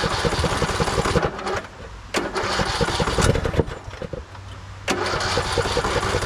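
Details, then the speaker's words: 2014 Craftsman T1600 lawn tractor, first start after bypassing a broken blade safety switch, disgusting fuel filter, battery doubtful: repeated cranking bursts with stumbling catches before it finally runs; hard start, owner suspects a dirty carb. "I know you're all worried about the starter. It's gonna be fine. I'm more worried about batteries."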